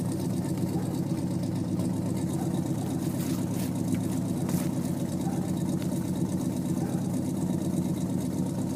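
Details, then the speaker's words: 1950 Plymouth Deluxe four-door with a 350 V8, started cold on the first click: steady, even low rumble with no misses or knocks; normal idle. "pretty awesome that it starts up just on the first click"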